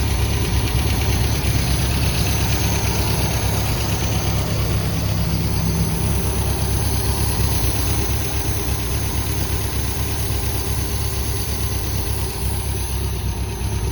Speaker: yeah it seems to be running really smooth